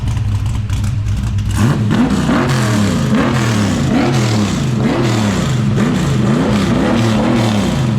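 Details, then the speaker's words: Holden HT Monaro V8 after replacing faulty MSD ignition module, fans on: strong steady burble, even firing, smooth rev rises, no misses or stumble; running clean, sounds mint. "well I must say I'm very pleased with that that sounds mint me too"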